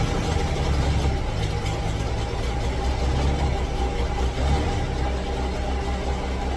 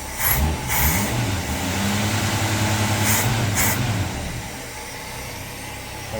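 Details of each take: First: 1966 V8 ("Rita") idling very rough, stumbling, surging and missing, smoking while it stumbles after spitting, sputtering and dying on a drive; air-fuel mixture wrong, carburetor suspected; faulty carburetor causing rough-running misfire. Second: 1966 car, carbureted, after fixing stuck-open float needle that overflowed bowl and caused sputtering and dying: settles into an even, steady idle after a brief rev, no stumble, hunting or smoke; healthy idle.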